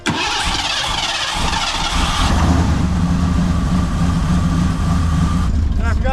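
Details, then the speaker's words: Car with newly fitted Explorer GT40 Cobra intake and new cam, first start: cranks, catches, lumpy uneven idle with airy hiss, running very rich; big vacuum leak heard at the back, MAP sensor line accidentally plugged off. "Yeah. I mean, I hear air back here. Big vacuum leak back here."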